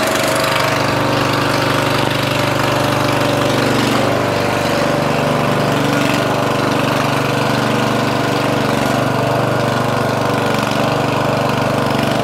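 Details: Murray 14.5hp 42-inch lawn tractor, Briggs & Stratton single-cylinder OHV, after fixing a bad ground at the ignition switch. Steady even chug with no misses as the tractor drives off; normal running.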